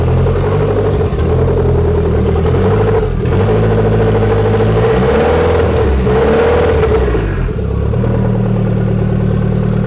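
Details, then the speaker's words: Fiat Tipo Sedicivalvole 16v turbo just started: catches and idles, each blip flares briefly and falls back, won't rev; vacuum pipes, boost control and intercooler not yet connected. "Why doesn't it like to rev though? >> Because there's still VAT pipes that need sorting out."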